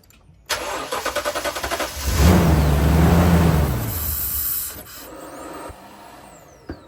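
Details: 2019 Toyota Tundra with a bad fuel pump: starter cranks in even pulses for about a second and a half before the engine catches and revs; slow start suggesting weak fuel delivery, cause suspected.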